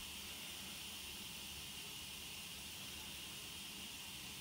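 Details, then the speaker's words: Home central-heating radiator after replacing a leaking valve: soft, continuous high hiss as trapped air escapes from the radiator bleed screw until water comes out; boiler pressure drops as air vents. "You can hear the air coming up there until this radiator gets water coming out again. That means all the air is expelled from the radiator."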